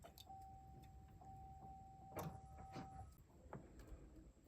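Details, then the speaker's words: 2013 Chevrolet Silverado with the key on, heard in the vehicle: a faint steady whir for about three seconds, then a clean stop with handling clicks. Normal fuel pump prime. "essentially what I'm doing is getting the fuel pump to Prime and in the vehicle you can generally hear it's like this little humming sound"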